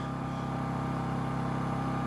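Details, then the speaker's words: WEN 1250 watt inverter generator switched to eco mode: quiet, steady low hum with a faint even tone and no surging; normal running in eco mode. "And I'm going to switch this over to eco mode. And you can just hear how much that quiets it down."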